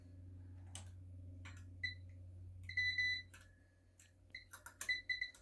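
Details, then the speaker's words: Discovery #Mindblown wire trap circuit kit powered by two AA batteries: short shrill siren beeps in irregular bursts each time the wire hook touches the wire, over a low hum; the buzzer circuit works normally. "And look, it beeps if you touch it with the wire hook at different spots too."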